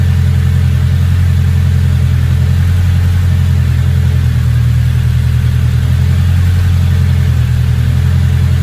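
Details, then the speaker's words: Big-turbo small-engine car, just fitted new downpipe: steady, even low idle rumble with no stumbling or hunting, turbo not spooling; no check engine light, good oil pressure, possibly slightly out due to cams. Normal idle. "Yeah, it's idling a lot better now. Turbo's not even spooling."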